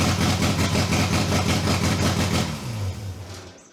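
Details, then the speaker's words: 2JZ engine in a Datsun, after fixing no-compression and rebuilding the VVTi gear: high idle with an uneven, lumpy beat near 170 a minute, stumbling before dying away, sounding like a misfire or not all cylinders firing; cause unknown. "all right so as you all can see we actually got the car started in this episode however something sounds like it's misfiring or not firing on all cylinders"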